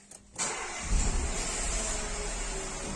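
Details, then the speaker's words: Renault Clio 4 1.2 TCe petrol engine starting: harsh metallic clatter over the first seconds of idle, with loss of power and doubled fuel consumption; slack timing chain. "on est sur une clio moteur TCE ça claque ça fait du bruit"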